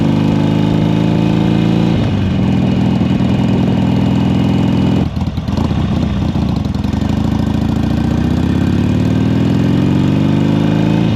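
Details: 2007 Harley Sportster 1200 Custom after no-crank and oil-leak repairs, low fuel light on and fuel age unknown: loping V-twin idle at a steady pace, briefly blipped and settling back evenly. Sounds healthy.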